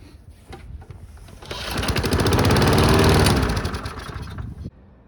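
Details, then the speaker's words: Cheap abandoned Briggs & Stratton lawn mower after carburetor work, filter not yet cleaned; catches on ether and revs about three seconds then dies; insufficient vacuum to draw fuel or a restriction suspected; starts on ether then dies. "as soon as the ether's gone it's game over so that would lead me to believe that it's not pulling enough vacuum to get gas from here to there or there's a major restriction in the car"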